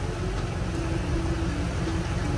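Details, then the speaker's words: 2001-2002 Camaro SS SLP V8, about 100,000 miles, with 1 3/4 headers, 3-inch off-road Y-pipe and stock cat-back: deep, even, throaty idle around 700 rpm with steady firing. No stumble or miss; much louder than stock. "I'll just keep working it, but yeah, it sounds way better than stock. When it was stock, it was super quiet."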